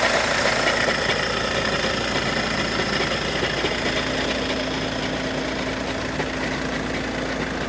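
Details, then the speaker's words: 2013 VW Jetta TDI diesel at cold-start idle, hood open: loose, uneven clatter roughly three beats a second over steady idle; owner checking for dual-mass flywheel issues, car drives smoothly, cause unconfirmed. "A cold start to listen for the noise."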